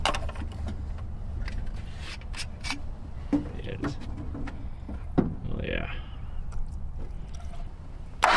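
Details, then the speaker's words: Junkyard engine in a 1961 Chrysler with a Stromberg carburetor, loose manifolds and no exhaust. Low, uneven rumble with irregular pops, probably running on six cylinders, no smoke and no bad noises. Rough running. "Yeah, it's running on like six probably. >> Yeah. Manifolds are loose, too. So, that's kind of why it sounds so poor."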